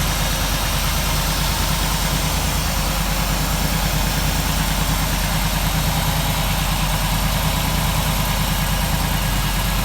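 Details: 1947 Ford street rod V8 idling after the intake manifold and distributor were reinstalled and a leaking water pump gasket was replaced; smooth, even low burble at about three pulses a second with no ticking or missing. A healthy idle.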